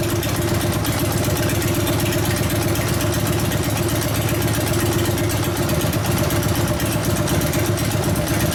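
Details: 1999 80ci Evo V-twin, first start after rewiring: loping uneven idle, slight stumble, no crisp beat; idle mixture 2.5 turns out, owner suspects lean and wants richer low-speed jet, accelerator pump possibly not working. Lean idle mixture.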